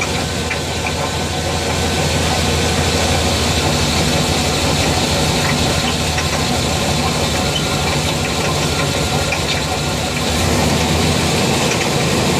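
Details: 350 TBI V8 at idle, recorded just behind the driver-side front wheel: a loose, irregular knock about three times a second over exhaust hiss; owner suspects the flex plate.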